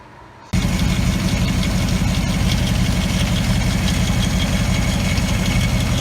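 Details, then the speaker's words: 2014 Maserati GranTurismo, warm engine, on jack stands with the transmission inspection cover removed: uneven low rumble with faint rapid knocking around the bell housing. Present only when warm. Cause unconfirmed; dealer check pending. "so I ended up removing that inspection cover there by the transmission and that's kind of where the area seems to be concentrated somewhere around the transmission"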